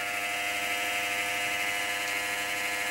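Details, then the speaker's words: Compaq Presario SR5123WM desktop at power-on: harsh raspy high whir with a faint rough wobble; a grinding fan, CPU or case fan suspected, probably not the power supply, likely bearing. "I wonder what fan is making all that noise."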